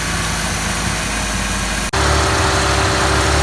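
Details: Ford XR4Ti engine at warm idle, steady and even with a smooth low rumble, no knocks or misses; warmed up without overheating or overflowing as it did last run; normal warm idle.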